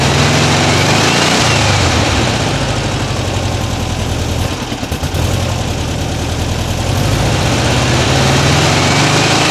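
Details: 1979 US fuel-injected air-cooled VW Super Beetle convertible with a new Vintage Speed stainless exhaust replacing the rusted original, microphone mounted on the bumper: a deep, even idle burble rises smoothly on throttle blips with no ticking or leaks. Healthy exhaust.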